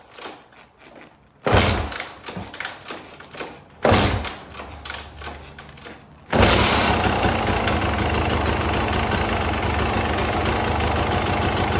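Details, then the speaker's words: TE300 TPI two-stroke, first start after rebuild, cold start with the cold-start on: three kicks, then it catches and settles into a crisp, even idle. Healthy start. "All right, happy with that. Oops, keep my finger out of the way. So, 3 kicks, cold start. That's it."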